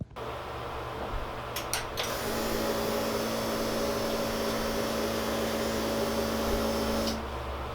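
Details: Subaru EJ205 in Honda CRX swap, first startup on stockish setup; steady mid hum with faint uneven pulse about four a second, not a misfire, just not smooth; owner unsure if timing, fueling or base-map tuning; rough idle.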